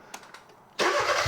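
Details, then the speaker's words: Hyundai engine on a teaching demo rig with crank sensor still connected: quiet lead-in, engine catches at once and settles into a steady even idle with no misses; normal start. "Now, if you didn't have a crank signal, a lot of times your car wouldn't start, so don't disable it yet. Let's go ahead and crank it up and just show them."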